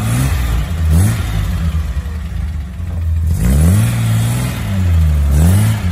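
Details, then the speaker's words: 1972 Datsun 240Z warm, choke now fully off after being left slightly pulled, which floods a hot engine: revs up and settles into smooth, even swells with a clean, steady note, no misfire or stumble; sounds much better. "cuando un coche está caliente el aire hay que retirarlo por completo, si no se ahoga. Entonces bueno, ahora está en su posición buena y se escucha bastante mejor."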